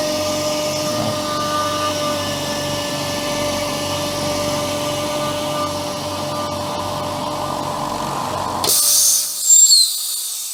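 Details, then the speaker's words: Upgraded air compressor, converted from two motors to one: steady even drone and constant whine with no knocks, pumping up the tank cleanly in about 1 minute 9 seconds before cutting out; normal running. "so what I'm going to do now is turn it on see how long it takes to pump up"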